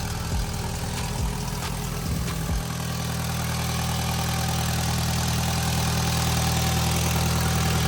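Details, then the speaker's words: Cheap Audi TT, first start after resealing leaking rocker cover with RTV: a few cranking bursts, then idle with a steady rhythmic puff under the drone; exhaust blow that sounds like it is getting worse. "we're back up and running that blow on the exhaust sounds like it's getting worse"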